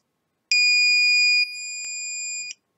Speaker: drogue in me it's not detecting across Illinois shut that off now it's not detecting the continuity test so saying that there's no deployment charges or igniters hooked into either one of them